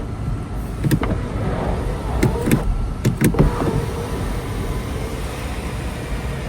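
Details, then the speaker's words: 2020 VW Passat B8 2.0 diesel 110 kW, inspection before registration in Germany: sunroof blind then glass panel opening and closing, smooth steady electric motor drone with light clicks, travelling normally without binding; no leaks found. "треба перевірити Люк спочатку шторку буває іноді що застрягає не працює працює і назад іде тепер люк так"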